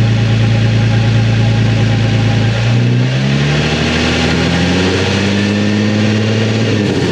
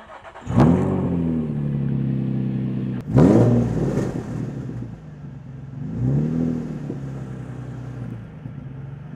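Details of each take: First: Nissan 350Z with Tomei exhaust after repairing the broken exhaust: deep idle burble, revs rise and fall smoothly, slight burble on lift-off put down to back pressure, no leak puffing; exhaust sounds healthy. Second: Nissan 350Z with Tomei exhaust, stock exhaust section damaged, flange missing bolts, startup: raspy, puffing blat on each throttle blip, harsh and uneven over the exhaust note; exhaust leak at header flange underneath.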